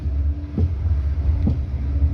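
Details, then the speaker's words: Jeep Renegade on a short test drive: two sharp, hollow knocks over low road rumble from the front suspension, a worn front shock absorber with play at its rod; the shock was removed for analysis. "ó nossa senhora muito alto o barulho é muito alto cara precisa nem andar muito né"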